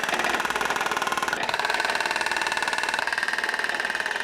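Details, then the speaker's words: Driveshaft demonstration fixture with transmission tail shaft, driveshaft centre section and differential all in line, no U-joint bend: even, steady motor drone with light regular pulse, no clunks, shudder or vibration. "Notice our entire drivetrain is in line with no bends. And because of that, there's nothing interesting to see or hear."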